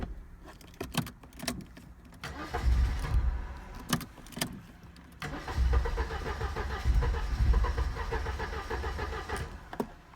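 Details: 1986 Mercedes W124 230E, automatic: cold start, uneven cranking in bursts, engine catching and dying before rough run; hard cold start, starts only with spray into intake; when warm, idle drops to 400-500 rpm in D or R and sometimes stalls.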